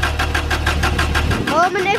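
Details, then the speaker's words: Subaru GC8 Impreza Turbo EJ20 after 7 months stood outdoors over a wet winter, camshaft sensor disconnected to kill spark and fuel: even, steady starter cranking with no firing to build oil pressure before start. "So it's going to build oil pressure up. Then we're going to reconnect it, then hopefully we're going to start."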